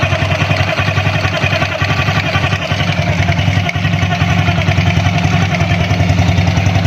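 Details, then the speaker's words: Honda Grand motorcycle, engine running: thin wavering high crying "nik nik" whine over a quick regular beat from inside the magneto cover; something stuck inside suspected, noise gone after cover was disassembled. "Suaranya kayak orang nangis ya, nik nik nik nik gitu ya, seperti orang nangis ya bro."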